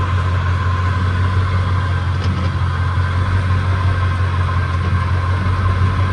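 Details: Chevrolet 10-bolt rear axle with constant droning hum and steady mid-pitched whine over low rumble, noise checked by hand near transfer case and differential; points to a bad worn rear differential.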